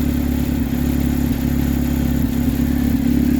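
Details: 2007 Saturn Ion idle with uneven, loping stumble that keeps breaking rhythm; cylinder misfire traced to a bad ignition coil, with carbon buildup and flattened spark plug threads found on cylinder four.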